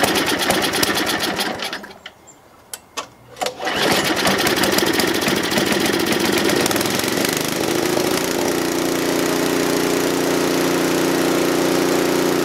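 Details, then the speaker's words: John Deere TRS24 snowblower after oil change and lubrication, carburetor previously clogged so it ran only on full choke: catches after a brief stumble, then steady, even buzz with no misses; runs pretty well. "so it runs pretty well um when I got it the carburetor is all clogged up wouldn't run unless you had on full choke"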